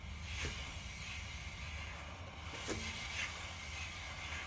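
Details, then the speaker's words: BMW 330Ci ClubSport bought with no MOT, low recent mileage, brand-new pads on unridged used discs, backing plate very tight to disc: faint swish about every half second as wheel is hand-turned; light disc-on-pad rubbing. "that's disc on pad the discs have got a few come around here chris the discs have got no ridge on them at all but they're not new but the pads are brand new"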